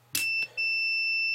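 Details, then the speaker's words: Intellitec BD0 battery disconnect latching relay, voltmeter on continuity across its contacts: a sharp click, then a steady meter tone that drops out and returns, the relay clicking on and off; it latches correctly. "just to verify that it's latching correctly, which you can see it is, and you can hear it clicking on and off."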